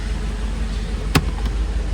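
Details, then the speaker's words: Mercedes 500SL after repairing fuel pump connector, no-start fixed: pumps heard, engine starts instantly and runs deep and steady with one brief click, no misfire. "C'est parti, attention, suspense. Au quart de tour, et voilà,"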